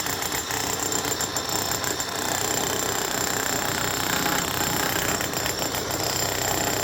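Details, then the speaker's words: 2005 Makita HM1202C demolition hammer, 20 years old, rebuilt with new bearings, brushes and grease: continuous rapid, even hammering over a high motor whine with no stumbling or grinding. It is hammering properly again; the motor is not burnt out. "Yeah, that is her. Up and running and hammering like she should again."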